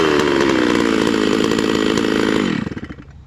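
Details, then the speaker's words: Hypo 660 chainsaw build with modified triple-port muffler, cutting oak, estimated above 13,000 rpm: screaming revs with faint burbling break-up at the top; high-speed mixture slightly rich, four-stroking, safe tune. "my guess is it's spinning a little higher than 13 000 right now uh still four stroking a little bit on that so still pretty safe"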